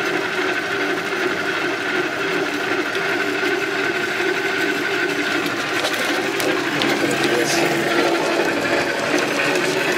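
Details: 1960s Craftsman horizontal metal-cutting bandsaw motor starting after the missing ground strap was refitted so the start capacitor works: a steady, even hum with light mechanical chatter and no labouring. It runs normally, though the owner suspects it turns the wrong direction.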